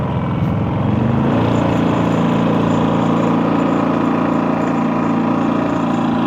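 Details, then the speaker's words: Harbor Freight 2023 3500 W super-quiet generator (3000 W running output), recorded from directly behind it: a low, even hum that rises slightly in pitch then holds steady with no surging or misses; running normally and quietly. "this is directly behind it a little bit of smell of gas and exhaust but not bad I wouldn't recommend putting it in a closed area in your RV but outside definitely a super quiet"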